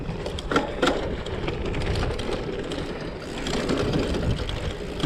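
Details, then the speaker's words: Genesis Bohe gravel bike on gravel and dirt: loose, irregular metallic clatter over crunching gravel as the chain bounces on the stay; chain slap expected because the derailleur has no clutch. "getting quite a bit of chain slap back there, as to be expected. This derailleur doesn't have any kind of clutch or anything, so all that noise is to be expected."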